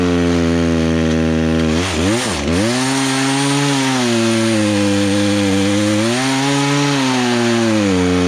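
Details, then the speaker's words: Poulan Pro two-stroke chainsaw unused for three years, carburetor just adjusted with a tool kit, cutting a log: steady high buzz sags briefly as the chain bites, then recovers and holds through the cut, no stalling; chain probably needs sharpening. "i probably need to sharpen the teeth up but i got it where it's not stalling out as you're cutting through"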